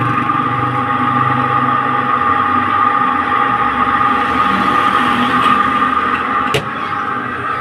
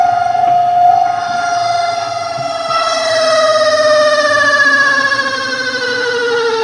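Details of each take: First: Spin dryer running directly with its top section opened, after oil was applied; brakes and seal had been checked and found fine. The earlier loud noise is gone: an even steady whir with a light hum, no scraping or squeal, running smoothly. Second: Spin dryer (spinner motor) spinning: a loud, steady, high squeal whose pitch slides slowly downward. Brakes were checked and sit clear, the basket isn't swinging to the sides, and the seal looks fine.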